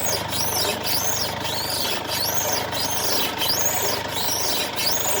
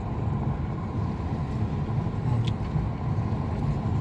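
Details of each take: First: 2016 Mercedes-Benz C220d W205, known underbody noise on rough roads, car rocked in place: sharp rising sparrow-like chirps about once a second; worn control arm bushing creak, control arm replacement job. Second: 2016 Mercedes C220d W205 after control arm replacement (old one had a torn boot and lost grease), test drive on rough road, window down, driver side; only tyre and road noise, no chirping or squeaking, suspension quiet.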